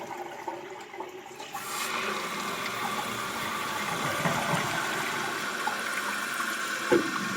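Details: Toilet flush after replacing the fill valve and flapper to cure running and noise: a full rushing flush drains cleanly, then settles into a steady refill hiss with no gurgle or running leak; flush valve healthy.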